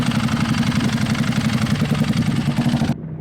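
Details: Barn-find Ducati 1098 first start after new starter solenoid and fuel system cleanout, warming up for an oil change: twin rumbles at a steady fast idle with a lively, slightly lumpy beat, no knocks or misfires, then cuts off cleanly.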